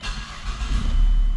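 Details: Mazda 3 with ignition blocked by a broken key transponder chip, after programming a new key: starter catches quickly and engine fires into a steady low rumble; normal start.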